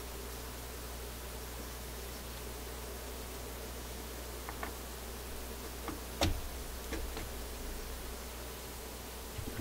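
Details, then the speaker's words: 2050 thyratron tube, a possible replacement for the suspect tube in a Seeburg jukebox selection receiver, on a tester: a faint steady buzz with sharp crackles and pops over a low hum; it behaves differently from the others and is judged probably bad. "considering what it sounds like and the fact that it works differently than the other ones this is probably not a tube"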